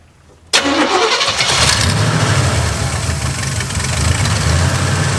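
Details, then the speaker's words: Carbureted Oldsmobile Cutlass Rocket 350 with Quadrajet, idle screws being adjusted, breather off: V8 cranks and catches, then settles into a fast, uneven idle with a faint hiss; vacuum leak reduced but still large, intake seal suspected next. "no no it's still we've we've got where i mean we have less of a vacuum leak but we've still got a crazy kind of vacuum leak"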